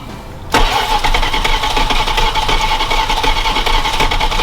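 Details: Parts truck just fitted with carburetor and distributor, fuel dumped in, wired to battery: starter churns steadily, engine turns over for seconds but never catches; cranks but does not start. Spark and vacuum leaks suspected, not confirmed.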